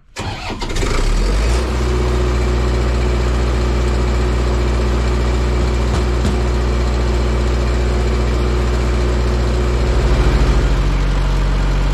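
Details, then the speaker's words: Auction-bought diesel engine-driven welder that fell from a crane, cold start without glow plugs after sitting one to two weeks: cranks briefly, catches at once and settles into a steady, even idle with no misses; healthy cold start, later warmed 15 minutes before oil and fuel filter change. "no glow plugs cold start contact"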